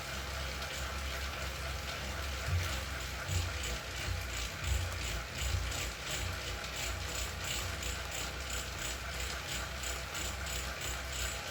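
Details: Zwift Ride on KICKR CORE trainer strapped to a rocker plate: rhythmic clicking about 1.5 per second following the pedal stroke over a low drone; repeated clicking under load, apparently a known trainer fault, unit later replaced.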